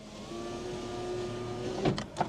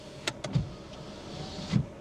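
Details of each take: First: Used car during test drive: steady electric window motor hum for about a second and a half, then stops with sharp clicks; window does not move, suspected failed power window regulator. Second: Used Mercedes A-Class, cabin: switch click, then low motor hum as the rear power window travels and thuds to a stop; it works, unlike the front window with broken regulator.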